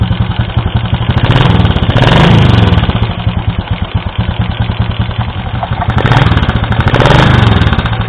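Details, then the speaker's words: Yamaha Vega Force motorcycle, rough-running and hard starting: rough single-cylinder idle with fast uneven ticking over the exhaust thump; oil level fine, head opened showed very loose valve clearance causing the tick, valves blackened, cylinder block scored and worn. "Dan ternyata salah satu penyakitnya yaitu terlalu kendor di bagian platu klep ini kita cek. Nah, ini kerenggangannya sungguh sangat longgar sekali sehingga ini yang menyebabkan bunyinya kemetek."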